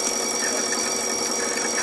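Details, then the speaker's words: Garrett GT6041 turbojet electric starter test, oil pump running, full throttle about 10,000 rpm: smooth, steady high whine with no rubbing or grinding, spins down freely; normal starter spin. "see it spins nice and freely okay now I'll turn my throttle you'll see system up she nice and smooth and that full noise she does about 10,000 RPM"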